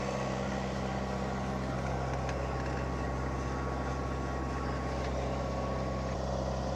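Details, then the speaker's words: Boat diesel engine in gear at the dock, about 2,000 RPM, good oil pressure, warming toward its usual 160°F: even, steady drone with no knocks, misses or surging and no smoke, despite earlier white-smoke worry. Normal running under load. "So all of this looks good. The engine's running great. Sounds good. I don't see any smoke."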